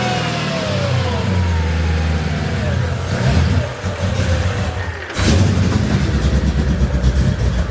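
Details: Mercedes CLK55 AMG with M113K swap, new Hellcat fuel pump, rail pressure about 55–62 psi, cold start; surging uneven revs dip, sharp backfire pop, then pick back up; owner suspects sitting unused, cause unclear.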